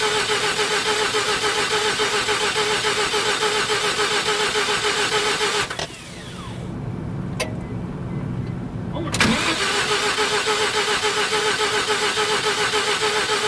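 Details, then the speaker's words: 1988 Mazda RX7, 1.3 L 13B twin-rotor rotary, sat 10+ years, in neutral, mic left by the car: steady, even cranking for seconds without catching, a pause, then more cranking, still no start. Cause not yet known. "Okay, she's not going to start. So, going to have to figure this out."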